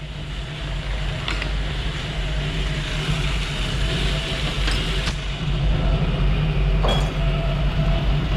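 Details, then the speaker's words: 1974 Jeep CJ-5 with 232 engine, timing set about 20 degrees at idle: steady idle with uneven, lumpy beat and occasional stumbles; should run smoother, has a stumble at low speed, cause not yet found; number one plug to be checked. "that should run a little smoother than that that's actually got a little bit of a scalp at low speed so I gotta look for that"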